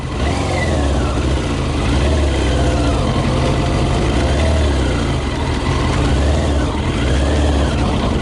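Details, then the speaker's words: Yamaha YZF 600R running mainly on 40% alcohol whisky, ridden around a lawn under load: uneven, choppy, stumbling firing with little pickup. Misfire from the wrong fuel. "Okay, I'm gonna try to ride it around my lawn. Try to ride this. It's misfiring a little bit."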